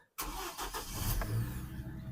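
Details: 2006 Chevy Colorado after passlock fix with new ignition lock, starting after passlock relearn: short crank, engine fires at once and settles into a steady low idle; normal start.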